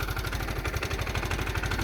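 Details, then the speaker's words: Suzuki Burgman 400 scooter idling on its center stand: sharp, regular low knock on every turn, about ten a second, clear over the exhaust; owner fairly sure it is the crank, a bad crank pin bearing. "but that's the noise it's got a knock pretty sure it's the uh crank it's in there"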